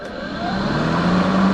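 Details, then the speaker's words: Kobalt 80V Max battery lawn mower, used 4 years without issues, started by pushing the button and pulling the handle: motor spins up fast, clean tone rising then holding steady, no rattles or grinding; normal start and run. "So in order to start it, push the button down, pull the handle back,"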